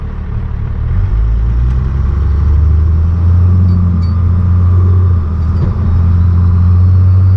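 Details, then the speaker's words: 12-valve Cummins diesel truck with compound turbo kit after sealing a boost leak, warmed up, driving under load: deep steady drone building without hissing or fluttering; boost holds, throttle response crisper, engine pulls healthily. "all right folks well the truck is basically warmed up a huge improvement uh with the boost leak gun definitely off idle for all responses a lot crispier trump is feeling great"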